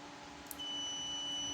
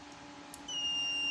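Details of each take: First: Photocopier sensor (ER5000/Advance type) on a digital sensor tester: only a faint, thin beep and dim light, unlike a good sensor's loud beep and bright light; sensor not working, failing. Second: Known-good sensor on a homemade digital photocopier sensor tester (for ER5000/Advance machines): loud, high, steady beep with bright lamp, unlike the dead sensors' dim light; sensor triggering normally.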